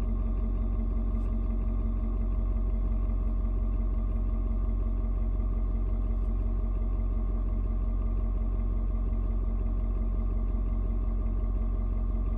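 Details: Ford Super Duty 6.7 diesel, cold start at 56°F, after it has adjusted the fuel mix to the temperature and mellowed out. Steady, even clatter with a deep low rumble, no misses or knocks. Normal cold idle.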